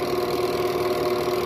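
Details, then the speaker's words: Two-tub washing machine spin cycle after repair and reassembly: smooth, even spin with steady motor hum and no squeal or scraping; the earlier spin squeal is gone; replacing the worn part is best, lubricant only a temporary fix. "ya la máquina no va a ser el sonido que hacía anteriormente entonces con esto hemos superado ese problema"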